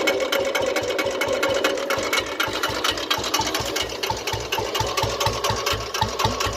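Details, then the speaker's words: Old-model Royal Enfield Bullet single running: sharp metallic tapping with every firing pulse, fast and even like a sewing machine; diagnosed by ear as piston pin knock, and opening the engine confirmed it. "ਮੈਂ ਉਹਨੂੰ ਫੋਨ 'ਤੇ ਦੱਸਿਆ ਸੀਗਾ ਵੀ ਇਹ ਪਿਸਟਨ ਦੀ ਆਵਾਜ਼ ਆ ਰਹੀ ਹੈ, ਪਿਸਟਨ ਪਿੰਨ ਖੜਕਦੀ ਹੈ, ਇਸਨੂੰ ਖੋਲ੍ਹ।"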